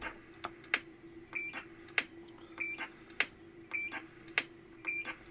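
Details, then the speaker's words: Formac 120 AM/FM 120-channel CB radio, bought faulty from eBay, with a newly fitted NATO-style roger beep board replacing the original bleep board. Short high two-tone chirp after each key click, repeating cleanly. Roger beep working. "so this is actually a NATO style beep I think it looks quite nice in there nice and compact"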